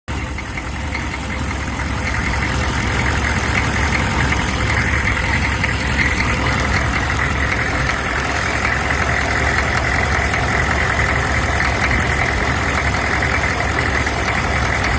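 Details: Engine at idle: steady, fast knock over the rumble, blamed on faulty Bosch injectors made in India; not confirmed.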